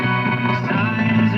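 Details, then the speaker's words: 1948 Echophone EC 600 DC battery-operated farm tube radio after tuner repair, recap and IF alignment, with the ground wire connected: music plays clear and steady with no crackle, buzz or distortion. Without the ground it sounds distorted. "and you're fine. Take the ground off, you're in trouble."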